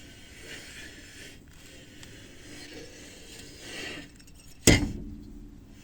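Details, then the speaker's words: ZAZ Slavuta: quiet scraping while a wheel is turned by hand, then one sharp heavy clunk as the whole gearbox lifts slightly; knock from the gearbox when turning the wheel, source still unknown. "на видео не сильно видно но перед тем как стукнуть коробка аж чуть-чуть приподнимается об пошла вверх лбу стук"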